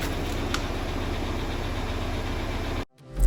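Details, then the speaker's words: Audi Q5 2.0T TFSI replacement engine, cold start: fast even lifter clatter over steady idle, audible outside the garage. "But anyway, you heard how the noise of the engine was clattering pretty bad? It was like you could hear it even whenever I stepped outside the garage. Well, that's absolutely abnormal."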